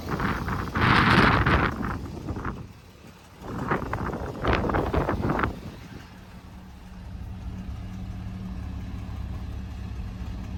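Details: Cold start on a one-owner FJ60 after an exhaust leak was fixed: after early revving it settles into a steady, even low idle with no ticking or puffing, and the exhaust sounds sealed and healthy.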